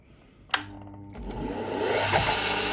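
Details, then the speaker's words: Single-phase motor with a starting winding on 220V, restarted by briefly connecting the starting winding: a click, then the hum climbs smoothly to a steady, even whir with no rubbing or growl. A normal, clean start. "The engine has picked up speed, we turn everything off."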